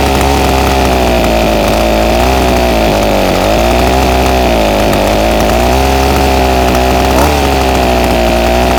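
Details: Ryobi SS30 30cc two-stroke trimmer, before carburetor low-jet adjustment: buzzy wail rises and sags repeatedly, pitch dipping and recovering as throttle opens; bogs on acceleration.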